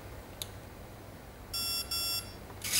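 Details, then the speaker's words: ESC on a 3-cell LiPo in programming mode, timing menu: two clean high beeps, each about a third of a second, signalling the medium timing option (one normal, three high), selected by pulling the stick back. "timing get into programming of timing normal medium 3 is high i'm going to go for the medium so two when i hear two beeps i'm gonna push it back one"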